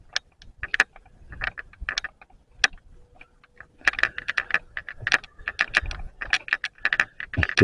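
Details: Video camera: light, uneven plastic clicking and rattling with each movement while walking through a garden; loose on/off switch knocking in the body, sound recording also unclear.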